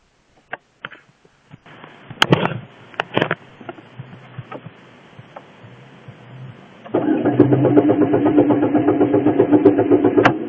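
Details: Engine cranks with the starter spinning it in a steady, even rhythm of about four beats per second, but it never catches and runs; crank, no start.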